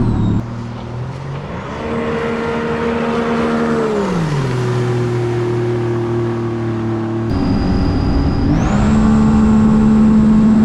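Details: 2017 supercharged Sea-Doo RXT-X 260 jet ski with higher-compression pistons, on the lake after the map-tuner fuel adjustment: clean steady tones, then higher revs with a rising supercharger whine; pulls smoothly with no stumble, normal running.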